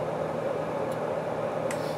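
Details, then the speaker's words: Whitfield Advantage/Profile 30 pellet stove combustion blower for the pellet pot after cleaning out the plugged fan; quiet even fan hum, single steady tone, no longer vibrating, no rattle, running smooth. "it's not vibrating um anymore and that's a nice thing all you really want to hear is close to nothing if you can do it"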